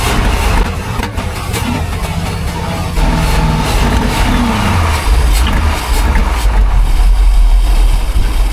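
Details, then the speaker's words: 1978 Sea Ray 240 boat with MerCruiser 383 Mag Stroker engine: a low uneven rumble that surges and sags without settling; stumbling from bad, contaminated gas in the tanks, which also needed a new carburetor. "B guy yeah it's we figured out was either the carb or gas cleared all that bad gas straight out of the system"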